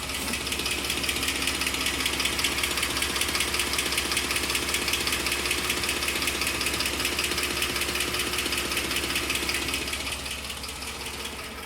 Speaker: It's a 2010 Ford F-150 with the 4.6 liter 3 valve. I'm trying to figure out what this ticking, clicking noise is.